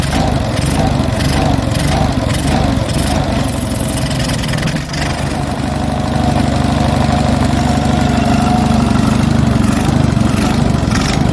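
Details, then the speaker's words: Onan US military generator engine, stone cold with automatic choke likely still on, starts hunting with a gentle surge as the note drifts up and down at idle; owner thinks the governor, refitted after the shaft was removed, is set too slow. "Starting to hunt a little. Why is she doing that? see if I can adjust that governor. Because you got to remember, I had that governor off the other day. I think that was running too slow."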